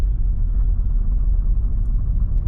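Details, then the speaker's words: 2009 Nissan Versa 1.8L driving: heavy, uneven chugging, running as if on three cylinders, whole car shaking, check engine light flashing; misfire later traced to failed cylinder 4 coil pack (P0300, P0340), coil replaced. "So it began as an intermittent misfire, but you can hear it's sounds like it's only running on 3 cylinders right now. Still no check engine light, just my tire light. So I'll take it for a drive. Shaking. The whole thing is shaking."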